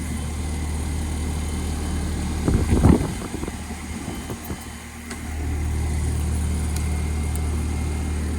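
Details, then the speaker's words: Old Goodman AC outdoor condenser unit with a low, heavy growling hum and brief clattering, getting warm; compressor runs hot, technician hopes it is just a capacitor rather than the motor. "And I hear the Goodman growling. And it is getting warm. So I'm actually going to hope it is just a cap and not the motor."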